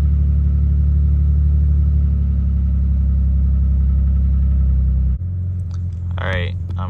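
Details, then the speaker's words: 2007 Dodge Magnum 3.5 V6 idling just after a cold start: lumpy, uneven rumble with a stumble about four times a second; cylinder 3 misfire (P0303) from a cracked spark plug. "I've noticed recently that uh after starting it when it's cold if sounds and feels like it's misfiring"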